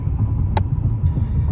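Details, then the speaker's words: Intrepid idling with a flashing check engine light after coolant bleeder housing replacement: lumpy, shaking idle with irregular stumbles; cylinder 1 misfire from an injector connector unplugged during the job. "well i don't know if you can see it shaking no you can't but it is misfiring as it dings at me"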